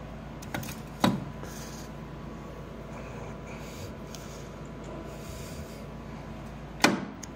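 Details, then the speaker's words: Circa-1960 Clausing 1500 lathe, range selector moved to low with the spindle turning: a steady running hum broken by two sharp gear clunks several seconds apart. Gears clash; range changes should only be made with the spindle stopped, or teeth are damaged. "yep that's that sound again do not change the range selector while the spindle is moving at all or you'll damage the teeth"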